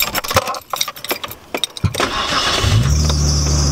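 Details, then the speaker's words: Japanese-import Nissan Skyline with an RB engine at startup after new spark plugs cured hesitation at idle and in boost. Cranks and catches, then a steady high squeal over the idle from a belt that needs tightening; loose drive belt squeal. "ah see that belt needs to be tightened but sounds good and it runs amazing no more hesitation at idle or in boost anymore"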